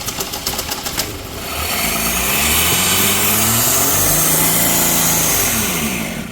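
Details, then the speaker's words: 1979 Ford Mustang, sat 32 years since 1991, first runs on temporary fuel squirters: after a few cranking chuffs it catches and races at a high idle that won't settle; first suspected vacuum leak, then owner suspects the choke. "Sounds like it's got a major vacuum leak or something. She tried to run off. We're not. Oh, it's her choke. That's what it is."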